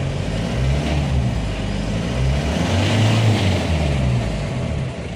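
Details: Mahindra Jayo mini diesel that would not start, with the temperature gauge swinging high and low. After the temperature sensor connector was cleaned (no rust) the reading is stable and the warning symbol now shows; revs climb and settle smoothly with no knocks or misses.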